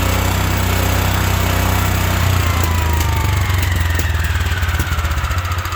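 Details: 1972 Wheel Horse Raider 12 lawn tractor, single-cylinder, revived after 15 years in a shed, governor repaired, choke used: steady, even low thumping at constant speed with no surging or dying; governor now working, idle may need raising; normal running.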